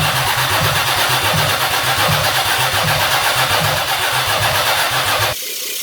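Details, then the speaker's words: 1982 Oldsmobile 4.3 V6 diesel, sat 20 years, fuel just bled to injectors, WD sprayed into intake, double batteries: starter churns about four compressions a second for five seconds, wants to fire but never catches. "It's wanting to fire. Kinda, almost. Not really."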